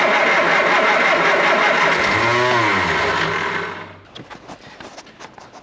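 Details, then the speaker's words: Triumph Spitfire: harsh whirring and chattering while cranking before it catches, because the starter motor mounting bolt was not tightened. "noticed as a starter motor vault not folded up i think i'll do that next"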